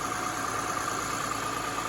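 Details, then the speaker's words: Saturn Vue Redline V6 after water pump and timing belt replacement: smooth, even idle with no ticking, knocking or whine; runs healthy, with steam from previously leaked antifreeze; overheating still to be checked. "thumbs up guys it's running and it sounds really good too"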